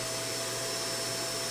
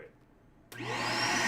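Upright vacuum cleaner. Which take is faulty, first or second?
second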